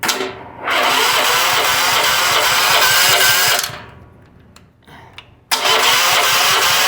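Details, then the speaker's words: Small single-cylinder gasoline power washer engine, after diesel was accidentally put in the fuel and cleaned out, starts, smokes a little and runs with an uneven, lumpy note, cuts out and restarts; leftover diesel makes it rough at first. "she's still running a little bit rough gonna run a little bit rough at first gonna take time"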